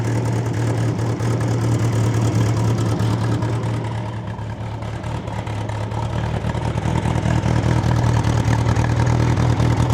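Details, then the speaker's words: Bombardier Bombi with Holley Sniper 1100 fuel injection, after exhaust manifold crack fix, first start idling unassisted: even, low idle holding on its own with a brief soft dip in speed that settles back. Normal idle, before closed loop. "That's actually sounded pretty good. Boy, does that thing ever run a lot more quiet now. Let's see if it just idles by itself or not."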